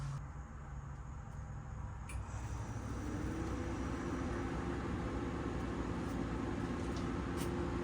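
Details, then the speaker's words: Frigidaire LFTR2045VF refrigerator that wasn't cooling, plugged back in for testing: quiet room, then a low steady hum comes up and holds evenly; compressor starting and running normally. "Compressor is running. Fridge is on."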